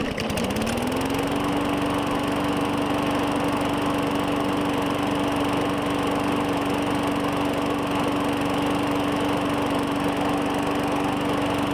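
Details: 2017 Murray 21" mower, Briggs & Stratton 450E, after cleaning the clogged plastic carburetor's brass bowl inlet, restarted after washing: fires and settles within a second into a steady even drone, no surging or hunting; normal running, no smoke.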